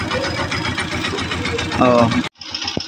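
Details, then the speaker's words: Honda TMX 125 single-cylinder at idle after tune-up to cure tappet ticking: quick even pulses with only a faint light tick left, much quieter than the loud ticking before; valve clearance now sounds within spec, normal idle. "So Meron nga siyang konti Ayan Konti lang naman kanina sobrang lakas"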